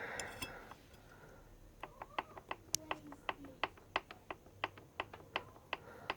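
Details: Suzuki Bandit 1250 front brake: sharp dry clicks four to five a second, regular like a wheel turning past a catch point.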